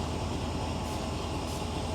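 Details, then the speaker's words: Ford 429 carbureted V8 at idle while carb cleaner is sprayed around the carb base; RPM holds steady with no dip, so no vacuum leak on that side. "there's nothing there that's a quick easy way to check using carbon choke cleaner"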